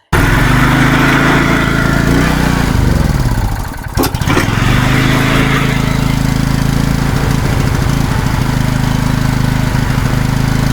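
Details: Wacker Neuson GP2500 generator, Honda GX160 engine, hard starting and previously only running on starting fluid (suspected fuel problem): chugs unevenly, stumbles, then holds a slightly hunting beat on half choke, running lean.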